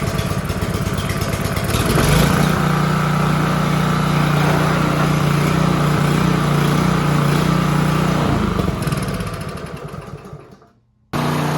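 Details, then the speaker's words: Free Honda HRB215 push mower, stored for years and not running, after reassembly: steady, even single-cylinder drone without hunting or misfire, then winding down; runs great. "just kidding as you can hear it's running great"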